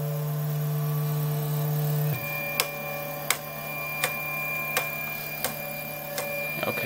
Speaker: so you notice that it's printing okay over here and now that we're really close when we get to this Edge we're getting that clicking cuz the extruder nozzle is so close that